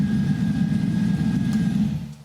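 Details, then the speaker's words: GM 5.3L LS V8 on run stand, before NSRx Stage 3 cam swap: smooth, even low rumble at idle with no chop, misses or valvetrain ticks, about 50–55 psi oil pressure, fading out at shutdown; healthy normal idle. "But as you can tell, nice and smooth. Not really any chop or anything back here."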